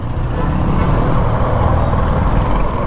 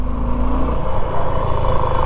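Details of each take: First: Suzuki V-Strom idling with owner's hands off, before running it longer (owner says it later turns into a tractor-like knocking): even steady low thrum, no knocks or ticks, normal idle. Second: 2024 Suzuki V-Strom motorcycle, quiet when cold, at steady idle with hands off the controls after riding a while: loud low rumble with rough rattly tapping clatter from the engine when warm; engine knocking, cause unconfirmed.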